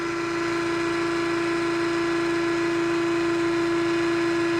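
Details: Nugier 100-ton hydraulic press: steady, even motor hum with clean constant pitch and no knocks or surges as the ram moves slowly; pump and motor running normally.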